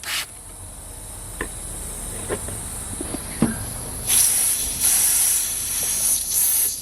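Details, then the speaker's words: R33 Nissan Skyline RB25DET boost leak test with air compressor pressurising intake; sharp steady hiss from split intake hose, one of several leaks found while chasing over-boosting. "oh it's actually split there wow okay there you go there's another one"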